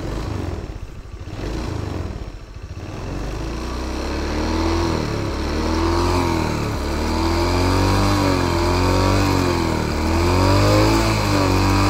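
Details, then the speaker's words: Matic scooter CVT after replacing the CVT case plate and bearing: engine revs and holds smoothly, only mild even vibration from the CVT box, the earlier rustling gone; CVT bearing and engine now quiet, normal running. "yang ada cuma suara Getaran dari box CVT untuk suara yang di lahar bak CVT sudah halus di bagian sini suaranya sudah halus di bagian mesin"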